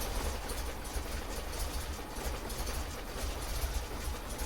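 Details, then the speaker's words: MGB GT idling after the distributor was turned to adjust ignition timing, before the idle was adjusted. Slow, lumpy idle with loose, uneven chuffs and revs sagging near stalling; idle speed is clearly too low. "Okay, well I think that's a better place for it, but it's clearly revving too low now, so we're going to adjust the idle."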